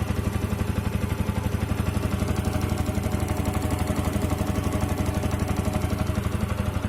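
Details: Yamaha R15 v2.0 engine at steady idle with an even clatter riding on the firing beat; abnormal engine noise, cause unclear.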